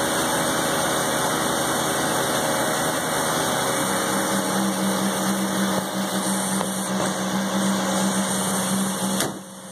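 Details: 1984 Mazda RX-7 12A rotary, revived after sitting 13 years, just after a cold start at 47 degrees on the block and 27 outside: it runs steadily with a raspy, high buzzing drone and no knocks or misses. Sounds healthy.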